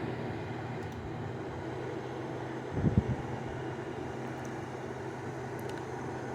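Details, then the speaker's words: LG 6000 BTU window air conditioner in fan-only mode on high speed: steady, even rush of air with low hum, no rattle or pulsing, one brief bump midway; fan running normally. "that moves some strong air but not that much of the different speeds"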